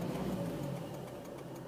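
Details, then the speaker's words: Warmed-up 2004 Volvo S40 manual diesel, 187,340 miles: steady low idle chug, the cold-start rattle now gone; the remaining faint tick is the seatbelt warning indicator, and the engine sounds healthy. "So you can see that rattle has gone. It just needs the engine to warm up a little bit."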